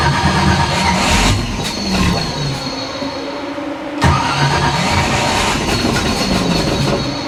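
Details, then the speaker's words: 1955 Chevy Nomad small-block V8 after the warped intake manifold was replaced. The starter cranks the engine over repeatedly, pausing between attempts, but it never catches. Owner suspects no fuel and possibly too little timing. Cranks but won't start. "She got no fuel. Maybe. Come on, girl."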